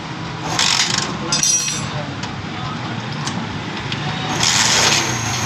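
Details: Honda CD 70 single-cylinder motorcycle running: fast, light metallic chatter riding over the exhaust beat, from a worn, slack timing chain; fix is a replacement timing chain set. Timing chain rattle.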